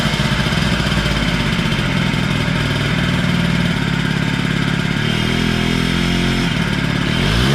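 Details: Honda Spree 50cc two-stroke scooter runs fairly evenly with a quick rev at the end but sounds weak; compression reading low, owner suspects blown motor, extra premix added to tank makes slight smoke; lack of power.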